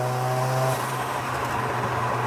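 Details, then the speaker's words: Mazda RX-7 rotary on premix with weak OMP, untuned and limited to 30% throttle, no deceleration fuel cut: uneven burbling and crackly popping through the exhaust off throttle, running very rich, bogs at low rpm. "so the problem is that at low RPMs it'll bog out and die because it's running so rich, and you can hear the burbles."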